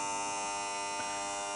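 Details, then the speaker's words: Williams Full House electromechanical pinball, Dealer/queen coil energized after game over: steady multi-tone electric buzz continuing until power is cut; should be a Z28-1150. "But the queen's on, so that will continue to buzz till we turn off the juice, which I'm going to do now."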